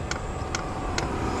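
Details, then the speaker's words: Silvel diesel heater after fixing a fuel leak, starting up: steady ticks about twice a second over the fan's rush as the fuel dosing pump clicks evenly, pumping fuel properly with no leaks. "can you hear her clicking? She's pumping fuel good, and I'm not seeing any leaks down here."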